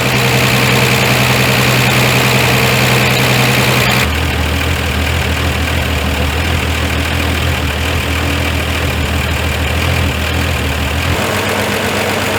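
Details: Ford Fairmont first running after 35 years sitting, no accelerator linkage: rough uneven idle with irregular stumble, steadying as distributor timing is adjusted; miss from ignition timing, carb tuning later removed most of it; heavy smoke.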